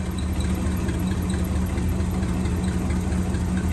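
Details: 1963 AMC 287 V8 Rambler wagon, cold, stethoscope on power steering pump: smooth, even low hum over steady engine drone, no knocks or whine; pump healthy, while the squeal comes from the valve cover (oil-starved rocker shaft).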